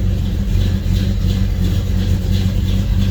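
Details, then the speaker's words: Car owned by the buyer's father for about 20 years, with an engine he worked on: a deep, heavy rumble with an even lumpy pulse through the exhaust and no knocks or ticks; it runs well and has some power. "yep so it runs pretty good sounds good it's got some power to it"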